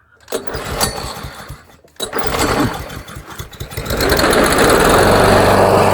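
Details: Weedeater (Husqvarna/Poulan) mower that refuses to restart when hot. It catches after two pull-start attempts and settles into a steady, even drone; the earlier hissing is gone. Normal running.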